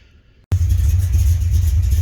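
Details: 1980 Corvette C3, first start in 2 years after charging battery and priming fuel: fires abruptly into a deep, even rumble that holds steady; starts cleanly and runs healthy.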